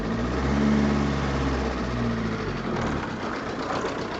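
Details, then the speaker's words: VW Jetta recorded on a phone, idling with an uneven, wavering beat near 210 per minute that wanders and dips instead of holding steady, a rough idle with the cause unclear. "all right now the Jetta is idling really weird and"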